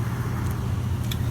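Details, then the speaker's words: Panda PAN760SF 3.75 cu ft dryer after a warranty replacement motor fixed a loud grating noise that began after about six months of use: only a steady low hum and no scraping or grating; running normally. "but two new motors in and I mean sure it makes the noise because there's a Dan Drennen in the back but the grating noise is gone"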